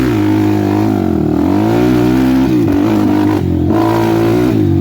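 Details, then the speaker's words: 2007 Suzuki LTR450 quad, fuel-injected, ridden with helmet-mounted camera: idles and revs fine but under throttle it sags and stumbles with popping, banging and dropouts, lacking power; fuel system suspected, not confirmed. "You guys hear that popping and banging? It's got like no balls."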